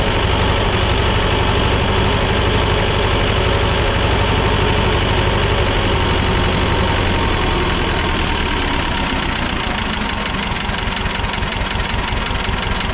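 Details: Belarus 250AS two-cylinder diesel tractor, about 1985, after sitting for years, first-stage filter refilled and lines bled: slow, lumpy idle that stays flat and never picks up speed; won't rev on its own, fuel starvation through a leaking filter.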